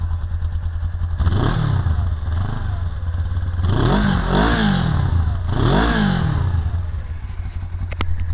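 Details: 1999 Suzuki GS 500E: twin idles with a loose clattery knock under the exhaust, then revs up and back three times; abnormal engine noise, source unclear.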